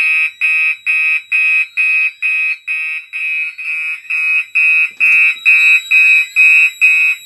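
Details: Gentex fire alarm system test on a DMP XR-500 panel: high, piercing horn pulsing steadily about twice a second, no gaps or weak blasts; horns working normally.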